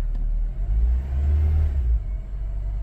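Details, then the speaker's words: 2007 Honda Civic after work to fix cylinder 2 misfire (P0302): deep even rumble climbing with throttle and settling back, no stumble or missing beat; much smoother now. "oh okay wonderful seems to be much smoother now"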